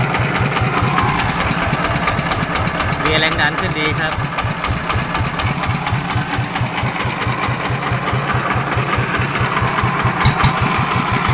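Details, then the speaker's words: Yanmar TF115 LM single-cylinder diesel after repair for hard starting (pump plunger, delivery valve, governor spring, injector, side parts replaced; inner bearings not done): steady, even firm idle, no misses or knocks; idles normally. "เดินเบาได้ปกติครับ"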